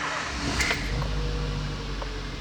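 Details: Ford Zetec Rocam engine (Fiesta/EcoSport/Ka) at cold morning start, after earlier timing-chain slap and lifter noise: catches and settles into a smooth, even low hum with no chain slap or lifter tapping; sounds healthy.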